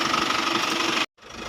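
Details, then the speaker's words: Isuzu Travis diesel van after fixing power steering noise when turning: engine runs evenly with no steering whine, bearing no longer stuck. "Ngayon wala na siyang ingay. Ayan oh. Wala na mga boss."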